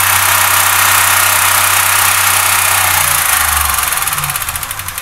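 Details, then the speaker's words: Pushrod engine with suspected stuck or collapsed lifters, cold start after an oil change with an ATF additive: roar settling into a light, even tapping about four per second over idle, maybe slightly softer than before; lifter tick, not confirmed fixed. "Now this may be wishful thinking, but it seems like it's not tapping quite as hard before"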